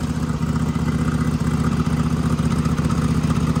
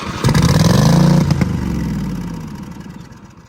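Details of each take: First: Small engine on a mud mower with an oil-packed turbo, restarted after a turbo oil change and a fuel-pressure hiccup. Steady, even putter holding speed without stumbling or dying; running properly, no leaks. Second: Riding mower engine restarted after tightening a housing bolt, firing without choke: surges with an uneven, lumpy beat then sags and runs down; stumbling, owner suspects it is not getting fuel pressure.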